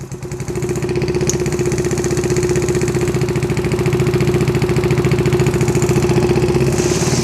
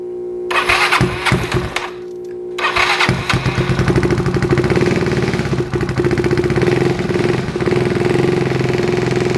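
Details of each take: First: Yamaha Zuma with 158cc big bore kit, first test start after rebuild with new piston rings and timing chain, battery on jump start: idle first too low, then a steady even single-cylinder putter with no knocks, ticks or misses; normal idle. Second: Yamaha Zuma 158cc big bore kit, first test start after rebuild with new piston rings and timing chain, low battery on jump start: catches after cranking, then slow lumpy idle threatening to die, needs throttle held; idle too low.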